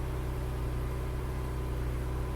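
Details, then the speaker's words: 1998 Porsche Boxster 986 running with wheels off ground, clutch released in first gear: steady low drone and even hum, no grinding or knocking; gearbox seems to work; normal gearbox running in first gear. "the wheels are off the ground so in theory push the clutch down first gear now if I let my foot off the clutch gearbox seems to"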